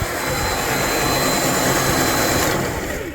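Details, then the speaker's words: Gardena 380 LI lithium cordless reel mower, after freeing a dry, sticky bearing that made the reel tight and stiff: smooth, even whir of motor and reel spinning freely without grinding or drag, then winding down; normal free-spinning reel. "Now let's hear what it sounds like now. Bet you it sounds a lot happier."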